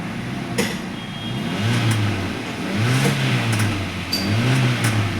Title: i20 crank no start faulty ecu and crank sensor